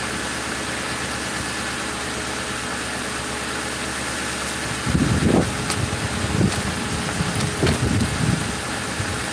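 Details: 2005 Ford Crown Victoria police V8 after fixing grounded number 4 coil and plug that blew fuse 9 and killed all eight coils, warming up after a week idle; even settled idle, handling bumps, no stumble or miss: normal idle.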